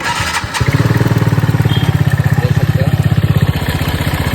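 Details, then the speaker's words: TVS Ntorq scooter idling: a hard, regular "kat-kat" knock on the idle, from an oil-starved engine with failed oil pump, a broken timing chain part and a loose piston, before repair. "कैसा cut cut cut cut sound आ रहा है तो अभी इसको ठीक करेंगे"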